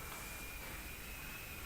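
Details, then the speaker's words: Steam heating radiators in a room around 82–85° with the heat turned off: thin steady high whistle over a constant airy hiss of escaping steam; the radiators earlier clanked, now whistling and venting steam. "so you can hear if you can hear that whistling it's the the radiators are making a lot of noise right now they're all whistling and steam's blowing out before they were clanking"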